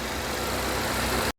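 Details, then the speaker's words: 2010 Chevy Equinox after timing chain, water pump and oil pan gasket replacement and engine reinstall, at operating temperature: steady, even warm idle with smooth low rumble, running well; check engine light unread, owner feels a possible small misfire, maybe a coil. "Alright, So I got it up to operating temperature. It's running really good."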